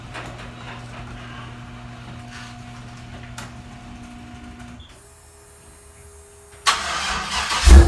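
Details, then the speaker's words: Studebaker pickup rat rod daily driver, cold start with door open: engine catches and settles into a steady low idle with even firing beat, no knocks or misses; normal cold start and idle. "I'm gonna open the door, give it a little cold start, and I'm gonna switch some of my trucks around so you can get to hear the Studebaker."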